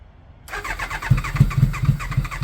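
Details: Kawasaki ZX9R at 42,965 miles, first start attempt during restoration: catches on choke but runs in lumpy, uneven bursts and won't hold idle, cutting out and not firing on all four; carburetor clean and rebalance planned, plugs possible.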